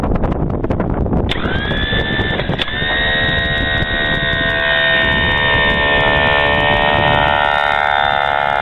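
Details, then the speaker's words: Generator set starter motor removed, run on the bench, getting very hot and only cranking engine 80-85 rpm (needs over 100); steady high whine with scratchy rubbing from the rear, armature dragging the housing. "so I feel it's sound is a little very strange and the backs side okay and it's running good here's here is it's problem and it's also become very hot"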